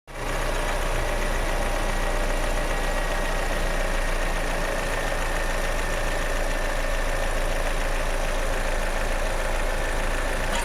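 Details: Toyota Innova Hycross at idle: a single clear, pronounced tock every time the AC compressor engages, followed by a low hum; cause unknown to the owner.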